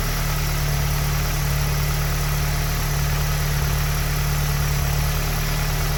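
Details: Tuned EA888 (Vortex XL turbo, MPI kit, 1300cc injectors, E85 tune, 530 WHP) idling after an EQT high-pressure fuel pump cap/line kit install: even, steady low hum with no stumble or knock, running normally; a small fuel leak is found afterwards.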